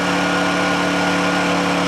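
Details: Honda generator idling just after a cold start: a smooth, constant hum at a fixed speed with no hunting, misses or knocks, a normal idle.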